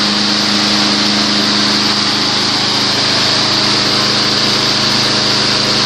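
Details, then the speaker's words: Junk Weed Eater 22-inch front-wheel-drive mower with Briggs & Stratton engine, rescued from trash, after regap and oil change: started on one primer push and first pull, steady even high-speed buzz, analyzer shows 3100 rpm (max 3200); running normally. "at high speed 3100 perfect it's good enough as you saw there one push of primer first pull fired right up"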